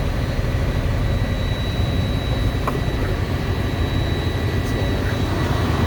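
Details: Freightliner M2 106 Cummins diesel, first start after coolant refill: deep, even idle with faint steady turbo whistle, no squeal; engine sounds healthy.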